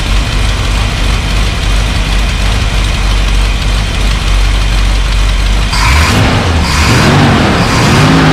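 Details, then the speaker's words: Off-road recovery tow truck V8, first run after wiring rework and a carburetor replacement: loud, steady, lumpy running, then sharp revs rise and fall. Runs better than before, but the new carburetor still needs tuning. "well she's running we got some adjustments to make but it's better than it was before"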